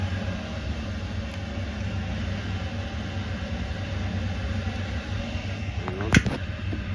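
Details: 1979 Kawasaki KZ650 SR motorcycle, listing states 11764 miles; over-revs a bit and is slow to return to idle. Steady, even low rumble with no knocks or misses and one brief click near the end; starts well and the motor sounds good.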